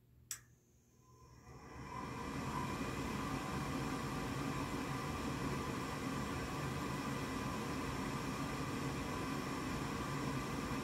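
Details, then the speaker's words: Goodman gas furnace before pressure switch replacement: a click, then the inducer fan's steady whoosh with no burner ignition; the control board flashes three times, indicating an air pressure switch fault. "so I can hear the fan but it's not firing up it's still not firing up"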